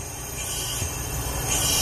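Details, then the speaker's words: Leak-down test at 100 PSI on a junkyard Mk3 Toyota Supra turbo block, engine not running: a steady airy hiss as air escapes through the crankcase past the rings on one cylinder. Owner suspects only that cylinder has bad rings. "Maybe just one cylinder has bad rings. So when you're doing a leak down test, obviously you want as little leakage as possible."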